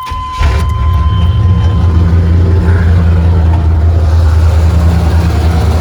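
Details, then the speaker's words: 1994 Chevrolet C1500 pickup, 5.7L V8, just after water pump replacement, parked on ramps and restarted: steady low rumble with even beat, no knocks, ticks or squeals; normal idle, no leaks seen. "So, best I can tell, everything's working. We're gonna call it fixed. I'm gonna let this idle here for a little bit, make sure it's not leaking."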